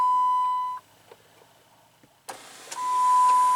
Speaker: you can hear it move, the motor works, but nothing happens. And this little rod here, there's one on each side, it is not connected to anything, and I think this is the reason why it's not moving.